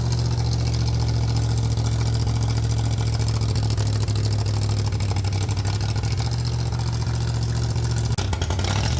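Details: 302 V8 engine driving an air compressor, cold flooded, choke kept on until warm; strong steady low drone holding even for most of the run, normal running while building pressure.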